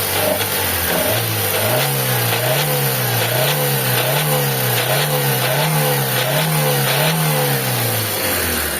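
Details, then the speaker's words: Mitsubishi Lancer 4G15 engine revved in bursts: pitch climbs and falls with a rough rasping, sawing knock inside the engine, quiet at idle; internal bottom-end damage needing overhaul. "mga boss, kung nadinig nyo parang may naglalagari sa loob ng makina mga bossing."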